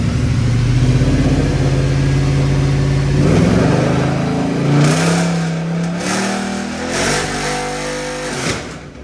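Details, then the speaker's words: Wrecked, rebuilt Mercedes C63 with a gearbox fault, in drive stuck in comfort mode; engine revs climb and sag while one wheel spins madly and the other barely moves, drive not engaging. "That wheel's spinning like mad, and this one's not moving much. Sounded cool though."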